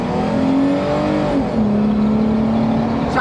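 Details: Off-road Jeep Wrangler on giant tires, earlier felt misfiring at idle, traction control off: under hard acceleration engine pulls smoothly with steady climbing drone and wind noise; sounds healthy, no misfire stumble.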